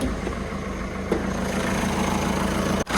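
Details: Peugeot 207 engine at start and idle, tired engine: steady even idle with a faint dry hiss and chirp from the accessory belt area, consistent with a worn accessory belt.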